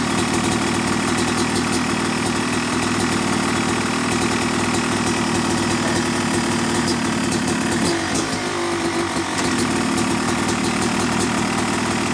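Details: Yamaha YZ250 two-stroke motocross bike (250cc/270cc) at start-up for break-in after a year-long full engine rebuild of bottom end, transmission, bearings, clutch and power valve, new seals; crisp even idle, light blips settle cleanly, no misfire or rattle; normal.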